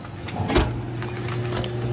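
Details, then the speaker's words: GE-made Hotpoint washer in diagnostic test mode, drain test (position 12): steady low hum with faint higher whine and even tone; drain pump running normally. The machine's fault was dripping water valves. "And the drain pump sounds good."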